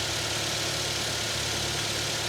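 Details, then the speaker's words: 2007 Toyota Tacoma at auction, hood open, runs and drives, needs a tire and battery cleaning: smooth, steady idle hum with no knocks, ticks or misses; engine sounds good. "Engine sounds good. It really does."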